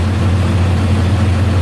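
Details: Car that had a crank/no-start fault, after engine computer replacement and programming: steady, even low rumble with no knocks, misses or surges. Healthy idle; repair complete.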